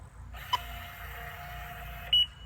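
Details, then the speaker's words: Mighty Mule 350 gate opener (Gates That Open GTO) on brick columns: motor runs briefly then shuts down, followed by single short beeps every two seconds, a limit switch error; fails after a few cycles, circuit board replacement planned. "it starts for a minute then it shuts down now I'm going to have to take it off there so I can open my gate that one beep every two seconds is a limit switch error"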